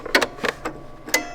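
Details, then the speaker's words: Toyota Hilux fuel system build: a few sharp dry clicks as the fuel pump relay pulls in with the ignition on. The pump wire is hot only when cranking or running. The relay is working normally. "Now, the relay is clicking once you get the ignition on, but that wire wasn't hot until you're cranking."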